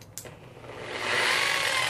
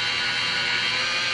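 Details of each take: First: Polisher whose lowest setting is 1,000 rpm: motor whine jumps up then wavers and sags instead of holding speed; speed surging. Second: DeWalt polisher at 600 rpm pressed hard against paint: steady high-pitched motor whir with no sag or surging; holds speed under load.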